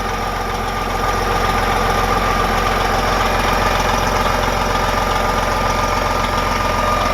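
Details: Diesel truck parked two years, started monthly; engine cranked right up, idling steady and even with a smooth low thrum and faint constant whistle, no misses or knocks. It earlier shut down on a check-fluid light, traced to low antifreeze at the tank sensor.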